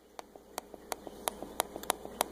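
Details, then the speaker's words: Laptop trackpad after pushing the misaligned pin back to the centre with a screwdriver: crisp, distinct, consistent clicks with each press; pin now lined up and switching properly. "we can hear that it lined up and it's actually pushing on that so that's what you want"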